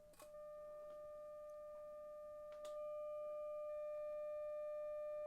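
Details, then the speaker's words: Philips Model 148 tube radio under restoration, test tone from a signal generator fed through a DC blocking capacitor to the output tube grid; steady clean mid-pitched tone from the speaker with no hum or crackle; output stage working normally. "signal is on let's see if we hear anything yes I can hear it let me put it up a bit more"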